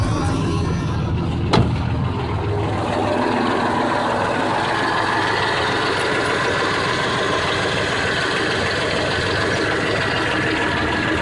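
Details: 1989 Jeep Cherokee 4.0L I6 after a mechanical clutch fan delete with a new shorter serpentine belt: after a brief catch, a low, steady idle with no belt squeal or rattle, and the alternator is charging; running smoothly.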